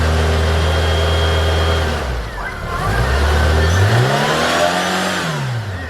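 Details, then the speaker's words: Tofaş Doğan SL 1.6 after crankshaft bearing replacement; it had run without oil and knocked from the bottom end. Steady even idle, then a clean rev up and back down with no bottom-end knock; running normally after repair. "Aracımızın işlemleri şuanlık bitti çalışıyor gayet iyi bir problem yok"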